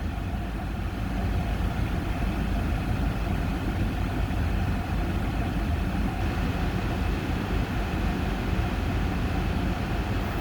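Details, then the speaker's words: Cold start first thing in the day after new spark plugs and plug wires, engine at high idle before settling down: deep steady even rumble, no misses or ticks; normal healthy idle. "he's running good running at the high idle first thing in the in the uh day thing and let idle down"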